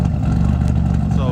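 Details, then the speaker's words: Car warming up at idle after RJC V-band exhaust gasket install: steady, even low exhaust note, no puffing or ticking; no more leaks, sounds sealed and a little better than before. "yeah but you know i like the way that sounds there's no more leaks you know she's far enough a little bit better"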